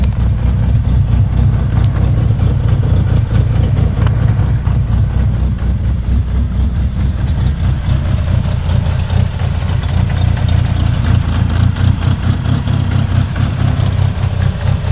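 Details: 1998 Mitsubishi Eclipse RS idling: deep steady rumble with a light repetitive knock on top; owner thinks it comes from the transmission, cause unknown.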